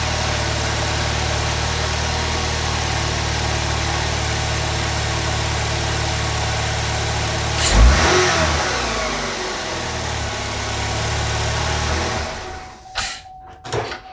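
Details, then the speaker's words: 2012 Chevrolet Malibu, replacement 2.4L Ecotec engine first start, no coolant yet: smooth steady four-cylinder hum, brief rev, no knocking or misfire; runs healthy. "Wow, that sounds great."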